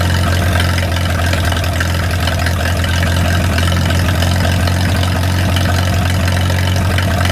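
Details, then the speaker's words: 1937 Willys four-cylinder flathead generator engine, revived after 15–20+ years sitting, idling to warm up after a fluid leak was fixed: deep, even idle with steady low thrum, no knocks or skips; normal idle. "I'm just gonna let it sit there and run for a little while, warm up."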